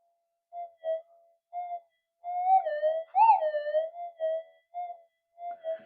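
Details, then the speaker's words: Minelab GPX-4500 "No Ears" test detector after new low-noise components were installed, amplifier at full, recorded around 2:20 pm amid expected external interference: warbling tone bursts swell loud and rise in pitch over quiet gaps, signalling a really big buried target. "sitting in there as I say you can have another look at it sitting there it's really a really big Target"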